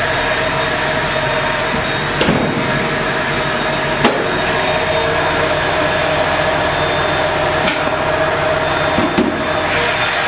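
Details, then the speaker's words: Carbureted (Weber) inline-six warmed to operating temperature after a drive: smooth, even hum idling about 800 rpm with steady oil pressure, a couple of stray handling knocks; sounds healthy. "I just got back from a quick Jun here nice and warm here on the temperature gauge show you the vitals again oil pressure nice and steady idling away right at about 800 or"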